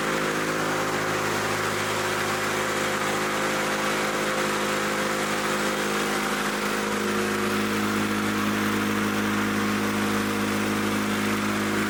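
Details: Old Lawn-Boy Loafer rider, front mower two-stroke with a new needle valve fitted: steady drone at an even but lowish speed, pitch barely changing; runs strong but slow, cause not confirmed.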